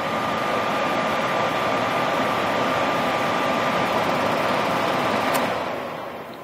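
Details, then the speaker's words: Furnace inducer blower motor running during the control board self-test after replacing the integrated control card, switching between high and low speed; smooth steady fan rush with a faint whine spinning down as speed changes; normal, healthy operation. "the inducer motor has turned on for 10 seconds seconds we hear the igniter turn on our inducer blower motor has going to turn on and it switches between high and low"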